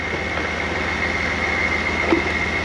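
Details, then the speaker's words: Toyota 1UZ V8 in an FJ40 Land Cruiser barn find, not yet warm; steady, even idle with no misses or surging, only a faint high whistle; sounding good. "we'll get you some blanks but that's sounding good that sounds real good"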